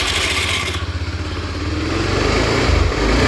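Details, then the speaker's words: Honda Beat FI scooter, MIL normal with no blink codes: coarse engine bogging and pulsing unevenly as revs struggle to climb off idle; hesitation on initial acceleration. "Jadi, mesinnya tersendat saat tarikan awal, kan? Ya, teman-teman. Saat kita menghidupkan motor, sulit untuk menaikkan putaran mesin."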